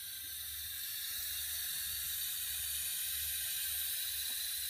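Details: Mercedes R230 SL500: steady high-pitched hiss over a faint low engine hum, source not identified.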